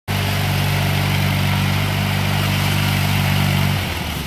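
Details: Brycon trowel machine small engine running fast but rough and uneven, beats dropping out, with fire seen coming out of the exhaust; engine misfire.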